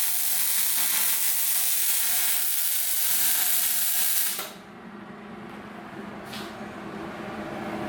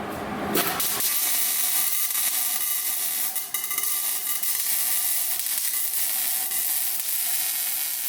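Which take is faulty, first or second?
second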